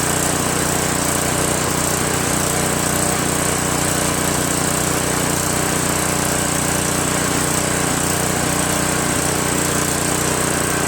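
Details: Craftsman 5.5 hp OHV 26-inch dual-stage snowblower, single-cylinder, after replacing surging carburetor with a cheap copy and refitting fuel line: steady, even buzz holding one speed with no misses or surging; runs properly.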